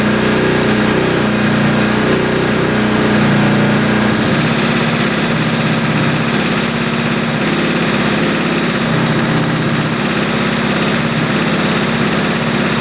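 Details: 1971 Suzuki T500 500cc two-stroke motorcycle, rebuilt but unused for years: loud, ragged, blubbery uneven running; left carb float suspected stuck, pouring fuel into the cylinder while the right carb seems fine.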